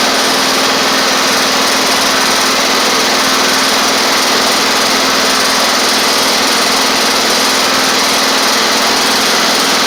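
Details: Toro Z2550 zero-turn small twin needing fuel system work, running on its own while driving: even, steady high-pitched drone with no misses or surging after a brief stumble; running normally, with a suspected flywheel magnet charging fault.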